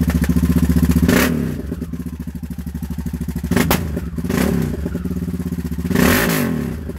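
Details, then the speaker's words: Raptor 660 rebuilt to 686 with intake spacers and new carburetors, idle raised and then blipped from quarter to full throttle. It fires crisp and even with no misses or knocks, running healthy. "that's only quarter throttle that's not half throttle not full throttle that's full throttle so you can see the amount of thrust that comes out of that thing"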